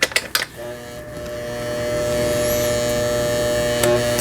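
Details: Sister MS350 household sewing machine (Brother-imported, about 30 years old), after full repair of broken motor and bracket that caused loud noise and no stitching: even steady stitching hum, about three strokes per second, no knocks or grinding; normal running.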